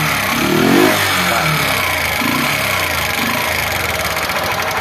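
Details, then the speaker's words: Small single-cylinder motorcycle that won't exceed 20 km/h, misfires and stalls: revs once, then idles with light fast ticking. Valve rockers are badly out of adjustment, too much clearance, not opening intake/exhaust valves; adjustment needed. "seus balancinhos tá batendo muito certo tá mais ou menos dessa altura aqui então se os balancinhos tiver alto assim não consegue abrir a admissão escape e a moto rateia"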